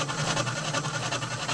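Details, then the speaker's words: Washing machine running loud and rough with a low hum and dull repeating thumps: the worn gearbox underneath is at fault, not the belt. "yan po yung nagisira hindi po siya belt ah baka mamaya sabihin nila belt 'yan hindi po belt 'yan"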